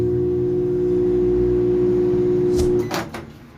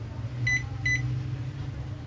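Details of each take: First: Philco PMS24 microwave that powers on but does not heat, running with a heavy, steady electrical buzz, the sound of a magnetron shorted to its case; loud transformer buzz. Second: Philco PMS24 microwave after repair; it previously powered on but didn't heat and made a loud noise, and the magnetron was recovered. Now two high beeps over a steady, even low hum, with no buzzing. It runs normally.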